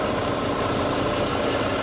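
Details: 1987 Pontiac Trans Am GTA, original time-capsule car, idling during an under-hood safety check: smooth, even low rumble with no ticks, knocks or stumbles. Healthy engine, no burnt-oil smell or leaks; only a cracked radiator core support fan-assembly mount.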